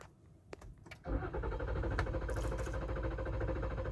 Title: won't start after jamming to a grinding stop